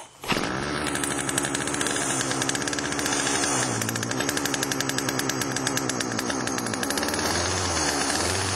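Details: Chainsaw after Texas ice storm, refueled, chain lube added, squirted into cylinder through spark plug hole: starts sharply, settles into strong even two-stroke buzz with brief throttle blips; runs cleanly.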